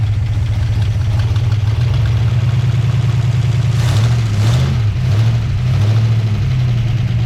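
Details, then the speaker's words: 1959 Plymouth Suburban Poly V8 with solid lifters, started after sitting since Friday with little choke. Deep, even idle with a brief blip; slightly clacky but healthy. The engine is tired and uses oil; charging reads 13.7 volts. "Oh, that sounds awesome."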